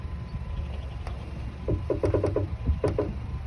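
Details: 2008 Honda CR-V, front end; quick bursts of dry crackling clicks when turning the steering wheel toward lock at idle, first suspected strut mount bearing but diagnosed as worn front stabilizer links.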